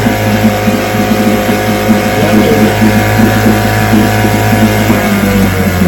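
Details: Vintage restored-then-repaired outboard on day five of a daily start test, full throttle, carburetor allowed to fill first, started on the second pull; steady, even buzz with constant pitch and no misses or knocks; healthy.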